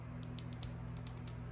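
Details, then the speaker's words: Nissan key fob after motherboard repair and new casing: crisp, light button clicks in small irregular pairs over a faint hum; the buttons now click where they didn't before the repair. "I don't know if you guys can hear that but these buttons are clicking now it didn't click earlier"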